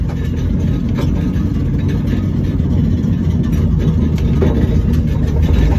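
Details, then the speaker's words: End-of-life Volvo V70 T5 turbo, catalytic converter removed: a loud, raw, throaty exhaust rumble that builds as it is revved, with no cat to soften it. "oh yeah fun laying up it's not actually as loud as my race car when i got that because i had the cat cut out as well that was way louder than this"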